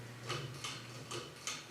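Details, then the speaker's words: CEC Newport ceiling fan, rescued after running on high reverse for years: even light ticking about three times a second over a faint hum, vibration resonating through a rigid beam mount with no isolation; rubber washers at the bracket suggested. "t's resonating through everything just through that beam that's the there's probably yeah there's probably nothing to isolate vibration on at all it's it's all midle and midle"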